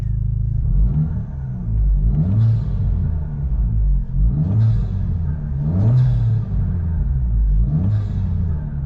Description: Lots of whistling and swooshing going on under the hood now!